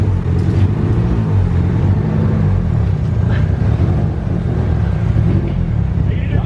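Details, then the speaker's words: Engine running under way after finally being started with a swapped-in Walbro fuel pump: a deep, steady rumble with no misfire or ticking. It sounds much better now that oil is no longer coming out of the valve cover. "It sounds like 900 times better now that it's not missing oil out of the valve cover."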